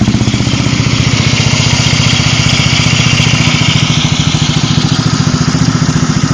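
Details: Yamaha Zuma 125 scooter idling: a quick light tick from the fan area or just behind it; suspected cam tensioner or the lightweight fan, to be verified by resetting the cam tensioner.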